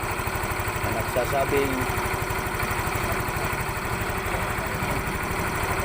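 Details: Yamaha Mio i 125 scooter after a crank-but-no-start repair where the spark plug and its gap were checked: small engine ticks over at an even, settled pulse of about two and a half beats a second, no misses; normal idle.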